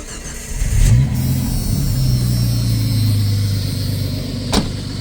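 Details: 1989 Jeep Cherokee XJ Renix with fuel pump cutting out while driving, stalling, sometimes crank-no-start; quick crank, engine catches and settles to even steady idle without stumble or stall while trying to replicate fault by tapping relay; healthy start.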